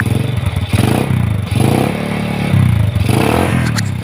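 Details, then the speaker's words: Yamaha Jupiter Z motorcycle after fixing noisy clutch with an added ring: engine now smooth, but rough puffing chuff and irregular clatter at the pipe reveal a leaking exhaust. "Dan ini ada suara knalpotnya bocor ya, Teman-teman. Suara knalpotnya."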